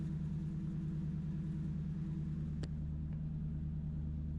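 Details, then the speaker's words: 1994-2004 Ford Mustang after ignition switch actuating rod replacement, started in neutral with the clutch in: steady, even low rumble with a smooth firing beat, no misses or knocks; normal idle. "We're neutral. Clutch in. That sounds pretty damn good to me."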